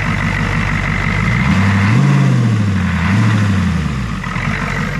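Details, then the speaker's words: Ford 6.9 IDI diesel, revived after sitting: deep, steady diesel clatter that swells with a couple of light throttle blips and settles back, firing evenly; healthy idle. "In my brain, the 6.9 does sound a f***ing cunt hair different than the 7.3."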